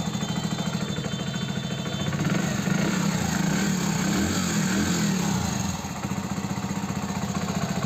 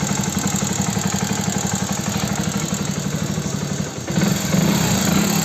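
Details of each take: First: Hero Passion Plus BS6 motorcycle, 13,454 km, at idle after adjusting the rocker (valve clearance); earlier noise blamed on the timing chain was actually the rocker. Even, steady single-cylinder idle with no tapping, valvetrain quiet, running clean. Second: Hero Passion Plus BS6 motorcycle at 13,454 km, idling: fast, light top-end ticking about two per second. It is attributed to loose rocker tappet clearance needing adjustment, not the timing chain as another mechanic claimed.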